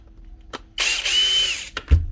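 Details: Grinder after washing out lighter oil in place of gear grease, with no faults found: short burst of clean, steady high whine winding down evenly with no rattle or grind; normal running.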